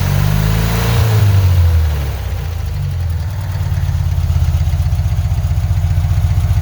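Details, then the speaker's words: 1975 Porsche 914 1.8L with a new fuel pump and centrifugal distributor, carbs at base settings (idle screw in 1.5 turns, mixture screw 2 turns out): low, uneven idle about four pulses a second with a slight miss, seemingly on bank one. "yeah idle seems a little rough I'm I'm really kind of sitting at those base settings I discussed just a while ago"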